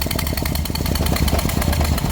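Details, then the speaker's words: Toyota Prius engine started with one spark plug removed after broken plug extraction, to blow out debris: rapid hard chuffing from the open plug hole over a rough, uneven low engine note with acceleration. "I'm starting the car and having it actually fire up to clear any debris that will be remaining inside."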